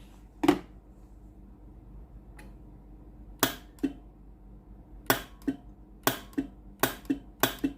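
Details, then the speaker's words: Philips GC9622 steam iron with no steam, test pipe connected at the solenoid water valve outlet: sharp single clicks, about eight in eight seconds, with no steam hiss; valve coil works but no steam passes, faulty solenoid valve. "You can hear the solenoid valve working normally. But no steam comes out. At the end of the pipe that I connected, there is no steam."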